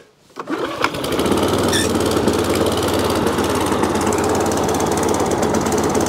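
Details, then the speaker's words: Tip-salvaged mower, on choke, fires after a pull into a fast slightly uneven chatter, very smoky; owner believes oil is overfilled; power drive seems seized; runs but needs servicing. "fired a bit smoky but then again you know it's overfilled of all i believe yeah it's okay very smoky well it runs"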